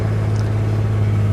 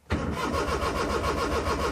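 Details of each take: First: Maruti 800 after repairing the ECU fault that caused no check engine light and no start: cranks, starts and settles into a smooth, even low idle with no stumble, knock or misfire. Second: Maruti 800 with the check engine light not coming on: steady rapid starter cranking with even compression pulses that never catch, so the engine does not start. Diagnosed as a faulty ECU.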